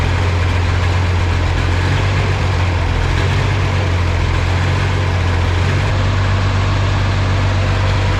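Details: Oliver 2050 diesel tractor idling after an oil change, run to fill the oil filters. Steady, even idle with a deep low thrum and no knocks or misses. Normal idle.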